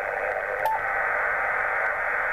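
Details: Loud steady hiss swamping HF receiver audio on a Yaesu 857 from a Jaycar MP3800 0–24 V variable switch-mode power supply: S9+ noise, 6, 10, 12, 15 m unusable, broadcast band and 2 m largely unaffected; switch-mode supply RF interference.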